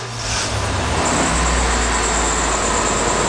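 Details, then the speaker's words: 1996 GMC aluminum step van, GM V8, apparently 10,000 lb load rating, 19.5-inch tires, 206,000 miles: short crank, fires at once and holds a steady, even idle with no misses or stumbles; healthy normal start. "has 206 000 miles but really runs pretty well um starts right up"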